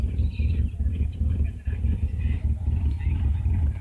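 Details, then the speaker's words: 1999 Subaru Legacy B4 petrol engine idling very erratically and shaking, uneven stumbling, surging thrum; rough idle misfire, no diagnostic codes stored. "aru legacy before its men s dead I was very erratically as you can hear is misfiring I think because shaking a lot"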